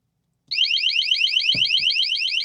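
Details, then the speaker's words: Grand Design Solitude 377MBS RV water leak sensor, four metal prongs touched with water in test: rapid piercing high-pitched chirping alarm starting abruptly and continuing steadily. "It's got these 4 metal prongs that once water touches it, it'll go off like that."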